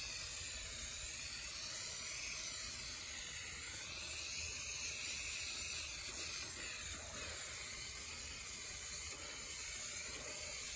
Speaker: They cover faster, but they tend to spit. Yeah. And they'll plug real easy. Yeah, I could hear it spitting.